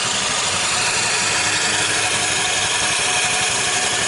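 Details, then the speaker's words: Motorcycle after bearing replacement at a general workshop: even, steady idle with no knocks or rattles from the bottom end; normal idle. "Dan ini perbedaan suara saat udah diganti bearing."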